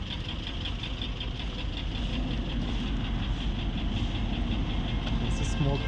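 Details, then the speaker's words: Mercedes-Benz GL450 V8 at idle, smoke from exhaust, codes P0302/P0307, misfire: uneven stumbling low beat with a dropped pulse every so often; one cylinder missing. "This car is misfiring. So guys, I'm trying to run the scanning so that I know what is the real problem why this car is misfiring."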